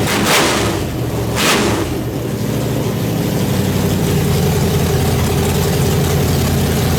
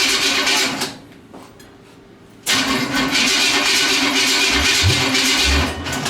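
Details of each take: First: Nitrous small-block Chevy V8 in the Brooklyn Dodger, first start after a fast build, running rich: lumpy loud idle settling after early bursts, holding steady on its own without misses; normal idle. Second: Nitrous small-block Chevy V8 in a fresh build, first start: cranks, dies briefly, then catches with a harsh uneven roar and deep popping bursts, shooting fire out the exhaust; backfire on first start, engine needs more timing.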